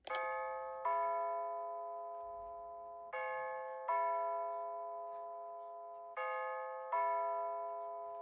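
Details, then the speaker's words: Bulova C3542 wall clock playing its Bim Bam chime on old batteries in use since 2020; three dull, low-pitched strikes about three seconds apart. Weak batteries are dragging the pitch down. "You guys can probably already tell by the pitch, you know, that these batteries are obviously, you know, they are obviously not as, you know, they don't have as much power as they used to."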